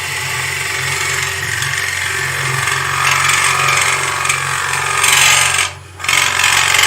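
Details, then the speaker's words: Wood lathe bowl turning with a gouge: rough fluttering scrape over the lathe hum as the tool chatters from pushing with too much pressure; relaxing the tool removes the chatter. "i got a little bit of chatter because i'm pushing the tool a little bit if i lay down and relax i can go through there without the chatter the chatter is caused by too much pressure"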